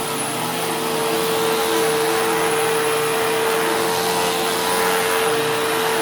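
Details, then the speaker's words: Newly acquired Sharp Twin Energy vacuum (no height adjustment) on carpet: a piercing whistle holds one pitch over the even motor roar. Owner suspects air pulled behind something causing interference; cause not yet found. "camera, but it's like a squealing or a whistling. It sounds like there's air being pulled behind something where there's a bit of interference."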